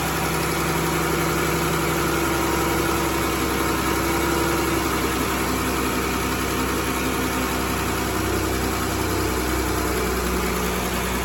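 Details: 2011 Chrysler Town and Country 3.6L V6, just started after thermostat replacement for early opening, radiator topped off and bleeding air: smooth even idle with steady low hum, no knocks or misses; normal idle.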